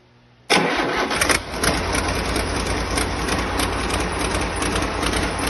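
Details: First start of a rebuilt diesel engine, jumped at 24 volts, with one injector pipe off: quick catch on first turn, then steady even diesel clatter at idle, no misses, knocks, leaks or bangs.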